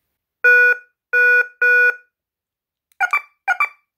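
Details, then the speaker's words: KERUI wireless security alarm base after key fob programming, alert mode triggered from the remote: three long loud tones, then two quick chirping double bursts, clean and quiet between; normal alert-mode beeps. "That's the alert mode."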